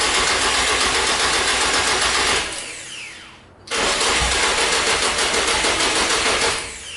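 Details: Nissan 240SX S14 with swapped SR20DET, after starter replacement: starter cranks steadily about four beats a second in two long tries, engine never catches; fuel pump unplugged, not priming.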